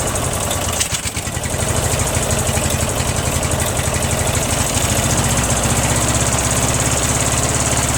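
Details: Briggs & Stratton opposed-twin with Nikki carburetor, fuel filter swapped back to a smaller one: catches after short crank, then loud, slightly uneven lumpy running; runs on choke, overfuels and runs rich; owner suspects float level or worn gaskets.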